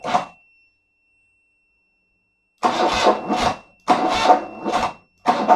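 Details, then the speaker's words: 1975 BMW R90 cranked after 12 years of poor storage, with petrol in the carbs and cylinders, on a weak battery and booster: bursts of slow, labouring starter churn, never catching. "le booster a fini mais c'est pas si mal que ça bon on va refaire un essai mais c'est très long à cause de la batterie"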